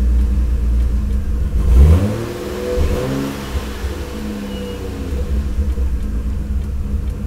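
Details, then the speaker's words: Lexus IS300 after ECU relocation and engine harness extension: engine blips up and settles back to an even idle with no misses, knocks or rattles; normal revving. "the car is running I wired in the O2 sensor so it's it's running better now"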